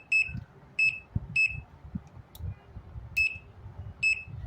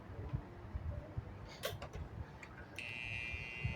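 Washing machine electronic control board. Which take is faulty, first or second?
second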